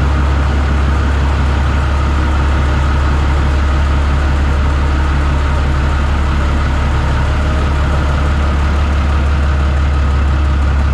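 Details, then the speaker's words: New Holland TB 120 diesel tractor after the dealer retimed its fuel injection pump to 29 degrees: steady, low diesel clatter at an even idle with no misses or knocks. Normal idle. "well there you have it sounds good"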